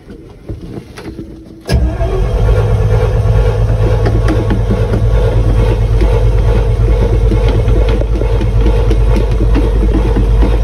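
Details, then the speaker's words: Truck rated to haul 26,000 lb, cold start at about 60°F after sitting, fuel pumped, out of gear, choke on, started without a jump: short crank then deep steady rumble evening out; normal cold idle on choke. "still not in gear and choke is on looking a little bit starting to even out over here"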